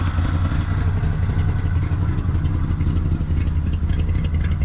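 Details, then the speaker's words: 1974 Chevy C10 dump truck, first run after years abandoned, with significant exhaust leak: low uneven lumpy idle with slight wavering, smoky and smelling of burning oil; rough idle but running. "but it's idling it's actually running kind of okay like kind of it's Smoky though"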